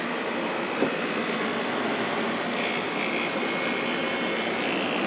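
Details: Kenmore (Whirlpool-built) 8000 BTU air conditioner, single fan speed, drawing about 5.3 A of its 8 A rating: steady even fan air rush over a smooth compressor hum, no rattles or squeals; running normally.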